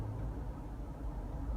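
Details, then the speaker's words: GMC Envoy at about 40 mph: low steady growl under road noise on left turns, quiet on right turns, as weight loads one side; bad front wheel bearing despite no play when rocked. "it sounds like a little growling noise this is an indication every time you turn the wheel the opposite way and the vehicle a lot of weight goes on one side it indicates the bad wheel bearing"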